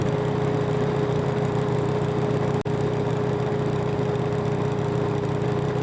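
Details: Toro Recycler mower that had been stalling after about 15 minutes, test run after reassembly and carb work with fresh gas, air filter off: steady drone, constant pitch, even beat, no surging or stumbling; runs smoothly.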